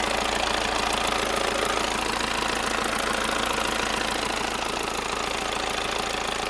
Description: Вот так вот стучи маховик на passat b6 турбодизель двигатель bmp